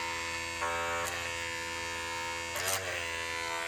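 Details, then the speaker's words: Wark 108 hair clipper with a badly worn blade, cutting hair before blade replacement: steady high buzz falters and roughens in short bursts as it bogs, chewing and pulling hair, cutting badly. "E se olhar bem, ó, tá mascando bastante em alguns pontos. Isso aqui, ó, significa que tá cortando mal, tá puxando muito cabelo, tá?"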